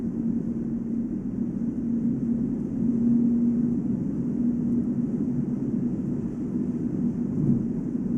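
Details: Volvo S80 at about 145 km/h (±5 km/h): a steady low drone with a fixed hum near 200 Hz, heard only on brand-new 245/40 R18 Goodyear Eagle F1 Asymmetric 6 summer tires. It does not change with acceleration, braking or cornering, and there is no wheel play, so the bearing is unlikely. Tire tread or rim design suspected.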